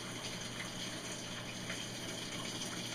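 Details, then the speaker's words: Whirlpool Cabrio washing machine in automatic test mode, after replacing the motor capacitor (third part tried): steady rushing water with no chatter, buzz or hammering as the hot water valve actuates; normal water fill. "so right now we got the hot water valve actuating I can hear the water running"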